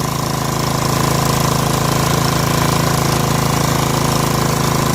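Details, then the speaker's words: Snapper SR1433 rear-engine rider mower, sat 8 years, after carburetor rebuild: steady even drone at constant speed, no misses or surging; normal running, muffler deposits likely burning off. "Let it run for a minute. Stuff in that muffler to burn off, I think."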